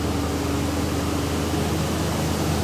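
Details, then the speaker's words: Old Jeep that had stopped running because it was out of gas (faulty fuel gauge), running after refueling on a cold day of about 20°: steady, even engine drone with no knocks, misses or surges. Normal running. "you hear the engine sounds good though it's cold today too it's about 20°"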